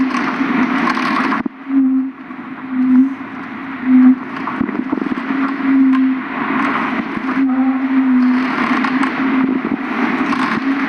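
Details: A car makes a low wavering hum with rough rushing noise and occasional cracks from the driver side while driving, louder turning left than right, absent when turning the wheel while parked; cause unknown.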